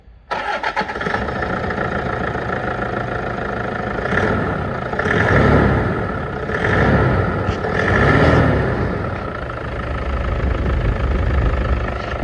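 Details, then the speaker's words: Toyota Hilux after regreasing the one untouched accessory pulley, which had no grease and was the squeak source: engine cranks, catches and idles evenly with a few gentle revs and no belt squeal or chirp. "It turns out that the one pulley we didn't touch the first time was the problem."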